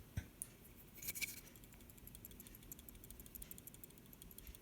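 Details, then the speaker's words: Refrigerator whose light works but whose compressor motor won't run: the start relay, removed and shaken lightly by hand, gives a faint loose tinkling rattle, meaning the relay is faulty and needs replacing. "hear that there is a tiny rattling noise if you hear that noise then your relay has a problem"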